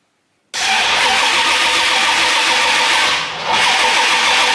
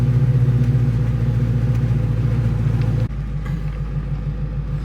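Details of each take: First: Freshly rebuilt Mustang after 7-year restoration: starter cranks steadily for several seconds without catching; cause is the distributor set in out of phase on reinstallation. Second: Restored Mustang V8 convertible on its first drive after 7 years off the road: deep, even burble under way with steady low pulses, no misses or rattles; healthy.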